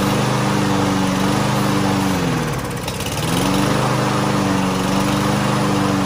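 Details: Lawn-Boy push mower, after carburetor cleaner sprayed into the carburetor: starts without starting fluid and runs steadily, dipping briefly and recovering cleanly, no misfire or surging.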